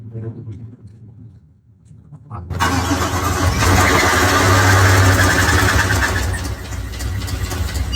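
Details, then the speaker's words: GM Cadillac Escalade 6.2L V8, second engine failed at 2,400 miles: cold start then steady deep knock about four times a second, confirmed bottom-end knock coming from the crankshaft. "that's definitely the bottom end. That's definitely the bottom end. Yeah, that's that's coming right from the source, the crankshaft."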